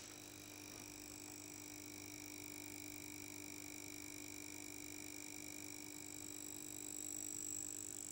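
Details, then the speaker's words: Marantz receiver with the cover off, a steady mains buzz with a thin high whine from its buzzing, vibrating power transformer, before repair. "now and as you can hear there's a buzz in there"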